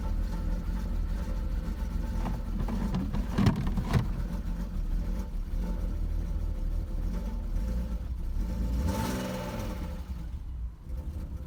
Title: Е39 бмв троит глохнет пердит трясёт чихает что делать? Подскажи?